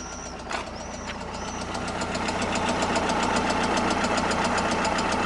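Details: 16-valve engine burning oil, oil on spark plug threads and in plug wells, smoking: steady even ticking about 220 a minute over the running engine, louder as it warms; engine knock, cause not pinned down.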